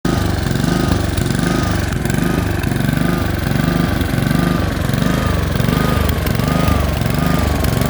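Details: Honda HRX217 lawn mower engine surging, speed swelling and dipping in a quick uneven cycle; caused by a dirty carburetor and fixed by cleaning it.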